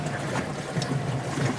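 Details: GE top-load washer after a grinding complaint, motor sitting on the bottom fixed by repairing the suspension rods with split shaft collars: soft, low churning with gentle water swishes and no knocking or scraping; normal agitation.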